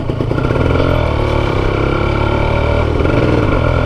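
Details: Kawasaki Ninja RR New two-stroke after replacing a noisy original chain and sprocket set with a thinner, lighter SSS gear set: steady drone holding even under load, no slap, clatter or whine from the chain; drivetrain quiet.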